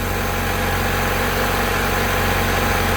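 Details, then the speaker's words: 1990 Honda Accord 2.2 4-cylinder at idle, after repairing bad alternator harness connector that prevented charging: even steady idle, no stumble or surging, charging about 14 V; normal idle. "repair is pretty much complete all right and she's running charging voltage on the scope looks pretty good"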